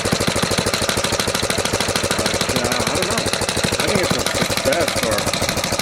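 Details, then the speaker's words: 1970 Rupp Scrambler single-cylinder at steady idle with a regular light knock on each beat that clears with a little throttle. "But you still hear that knock at an idle. I mean, you give it a little throttle in. It's gone. What the hell is that?"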